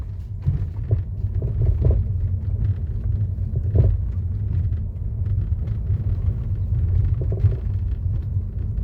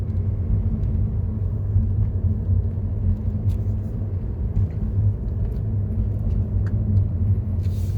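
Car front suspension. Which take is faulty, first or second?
first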